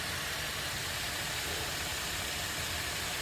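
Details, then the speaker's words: 2008 Buick Enclave 3.6 V6 VVT, 130,000 miles, after Seafoam soak and toothbrush scrubbing of carbon for oil in intake and cylinder 3 misfire, before oil catch can install: steady even idle under loud hiss, no service engine soon light. "yeah like I said right now no service engine soon light its idle and perfect everything is perfect right now"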